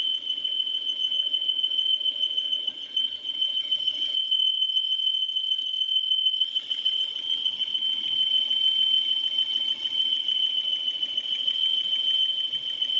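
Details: Peugeot 408 engine: steady piercing high squeal from the valve cover, dropping out briefly then returning, first mistaken for a pulley bearing; source was the valve cover PCV breather valve whistling.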